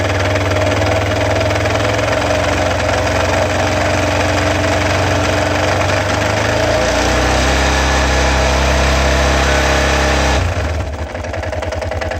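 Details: Yamaha XT 660 single-cylinder idle with a rough, uneven knock riding on the beat, about four a second. The owner suspects crankshaft or clutch bearings; the cause is not confirmed.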